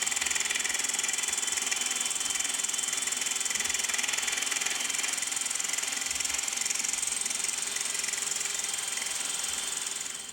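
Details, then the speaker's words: Hand-turned custom cast-aluminum boring head slowly lowered into a steel boat tow-rope pipe: steady high-pitched hiss and fine chatter as the cutter bites evenly, no grabbing or squeal; clean, normal metal cut. "And then as I turn it, it's slowly lowering the boring head down onto the metal."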